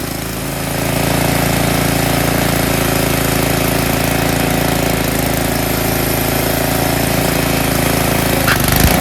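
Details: Tecumseh snowblower small engine after cleaning a clogged carburetor pilot jet that caused surging: steady, even buzz at constant speed with no hunting or surging; running smoothly.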